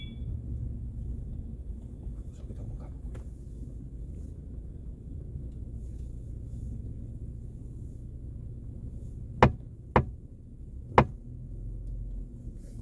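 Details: Mercedes-Benz E-Class W212 panoramic sunroof, driven over a speed bump before repair: over quiet cabin road hum, three sharp knocks about a second apart; interference between sunroof rail and frame to be found and fixed.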